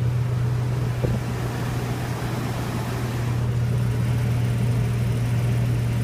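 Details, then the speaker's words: H-2 idling after exhaust manifold repair (broken stud and gasket replaced), test run: steady, deep, even hum with no ticking or puffing from the manifold area; the noise is gone, idling cleanly. "a plus de bruit c'est parfait"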